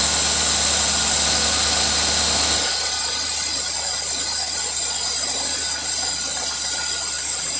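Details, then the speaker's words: 50+ year old carburetor with factory-defect microscopic hole into a chamber, engine idling: hissy airy edge that smooths at about three seconds when hole is covered by finger; vacuum leak sucking extra air, upsetting mixture. "That right there is messing with your mixture, sucking extra air."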